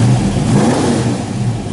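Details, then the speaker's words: 1969½ Dodge Super Bee, real A12 car, V8: short rev blip climbing and settling back, clean and crisp with no miss; strong normal V8 rev. "This is, if you can hear me, this is Mopar Power."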